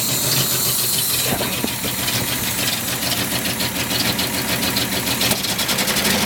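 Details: 1976 Datsun 280Z idling: an uneven, hissy beat with no steady rhythm. It runs rough everywhere; cause not determined.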